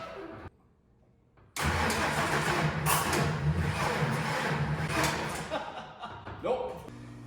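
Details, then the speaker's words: Ford 4.9L shop truck after a broken timing gear repair, first start attempt: uneven cranking that spins but won't fire. The distributor was set using the wrong timing marks, so the ignition timing is off, and it was later re-stabbed. "so I think I know what I did wrong here I was using the wrong set of timing marks on th"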